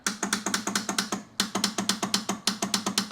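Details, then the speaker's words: 1971 AMC Gremlin sitting since about 1984, rusty battery cable suspected: bursts of sharp rapid clicks, about eight a second, with no starter whir; solenoid clicks but starter doesn't spin, arcing suggests starter dead short. "Alright, so the solenoid clicks. But"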